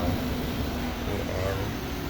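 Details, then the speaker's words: Cake chiller fan after repair (old wires replaced): low, steady, even hum with no rattle or squeal, much quieter than before the repair; fan now running normally. "Kung titingnan nyo, hindi na siya kasing ingay nung kanina. Tahimik na tahimik na."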